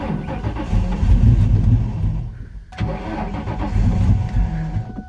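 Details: 1999 Mustang GT 4.6, long parked, with a little fresh gas and a shot of starting fluid: slow, uneven starter churning twice with no catch. Owner suspects the fuel pump, and ant nests were found. Crank, no start.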